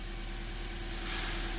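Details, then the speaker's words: 2010 Toyota Corolla S idling smooth and steady at about 1200 rpm, slightly high, with no dips or knocks; healthy idle, not yet test driven. "do you see how sturdy it is but it's high right it's it's 1200."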